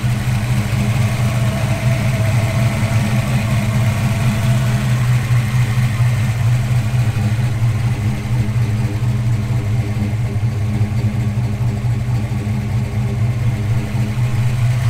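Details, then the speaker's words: 1988 Foxbody coupe V8 after its no-start fix: the coil wire and a failed ignition switch/harness in the steering column were repaired, wiring cleaned up and the nitrous removed. It fires up and settles into a steady even deep idle with no misses, knocks or ticks. "So success, got the ignition problem sorted out, got a whole bunch of wiring cleaned up, got the nitrous off, car's looking pretty good."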